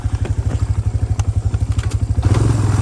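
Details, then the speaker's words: Suzuki LTZ 250 ATV after a clutch adjustment, the clutch still slipping slightly and an oil leak present: an even single-cylinder thump about three beats a second that picks up cleanly with throttle; runs well. "that I was able to hit her one hand it runs pretty good"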